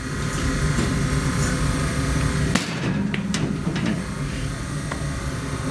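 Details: 1954 Mayflower oil furnace burner after motor work, old motor kept as a fallback, another motor planned: steady, even low hum with no squeal or rumble, just light handling knocks; running smoothly and quietly.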